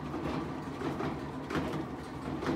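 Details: Whirlpool-type top-load washer on spin: heavy irregular thumps and rattling as the tub bangs and shakes around on worn suspension rods (springs), which no longer damp the tub.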